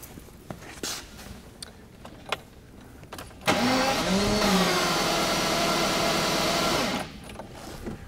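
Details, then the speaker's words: 1982 Jaguar XJS V12 cranking for about 3.5 s with the coolant temperature sensor deliberately unplugged so it won't start. A test light on the coil negative now flickers as it should, after an ignition module fault. Even starter whirr, no catch. "i purposely have the coolant temperature sensor unplugged so it wouldn't start"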